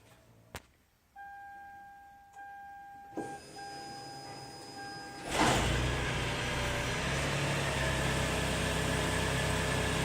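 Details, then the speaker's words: Lexus RX400h hybrid after a remote start install, started by pressing the remote button twice: a faint steady electric motor hum comes first, then the gasoline engine fires and settles into an even idle, normal. "Main feature is remote start. Hit this button twice. You hear the electric motor come on, then the gasoline engine."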